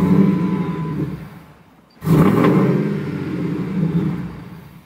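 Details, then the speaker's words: 2001 Ford SVT Lightning starts then stalls as fuel pressure drops to zero and vacuum falls from about 20–25; blipping the throttle gives brief sputters before it dies. Fuel filter, pumps, relays, hoses and MAF already replaced, cause unknown. "when i try to blip the throttle sometimes it'll go ahead and sputter a couple more times sometimes it'll instantly stall that was a stall"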